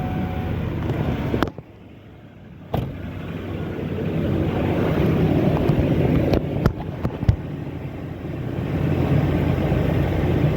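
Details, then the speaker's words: 2007 Ford F250 cargo van that lost power at night with dimming lights, after alternator replacement and twisting a loose negative cutoff: low, even engine hum holds steady through a few clicks. Normal idle, alternator charging. "Off the positive. Should stay running. The alternator is working."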